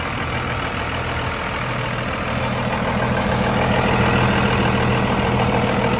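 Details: 2001 Dodge Ram 2500 4x4 with 5.9 Cummins diesel, 6-speed manual, 81,000 miles, fully serviced: steady, even diesel clatter at idle with a deep exhaust note, no misses or knocks; a healthy idle.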